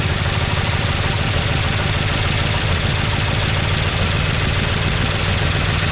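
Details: 1969 Chevy C10 engine with an oil pressure problem, started with carb cleaner after slow cranking; gauge barely moves, then drops. Rough idle with loud, busy metallic rattle throughout; engine rattling from low oil pressure.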